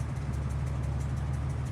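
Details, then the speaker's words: 1998 Ford Explorer idling after warming about 5 minutes, temperature stabilizing: low uneven pulsing idle with sagging speed, rough idle; owner suspects a vacuum leak at a sealed Y vacuum tube off the air breather. "now it's starting to starting to rough a little idle and that's what it keeps doing"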